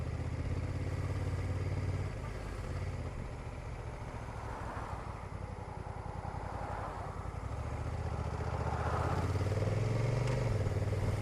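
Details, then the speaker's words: Honda NT1100 with the DCT gearbox trickling in traffic, crossing a railway line into a left bend: a dull clunk and brief dip in the drone at each gear change below 30 mph, from the dual-clutch box. "The feeling is very good, and trickling along in traffic is dead easy, but again you'll hear that sub 30 mph clunky gear change."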